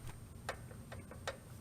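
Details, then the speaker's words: 1978 Toyota Pickup/Hilux after clutch job, system bled and adjustable slave cylinder rod set to 1/8 inch clearance: light sharp clicks a few times a second as the throwout bearing on the clutch fork contacts pressure plate fingers; normal, correctly adjusted. "That clicking noise is actually the throwout bearing on the end of the arm, clutch fork, contacting the fingers of the pressure plate."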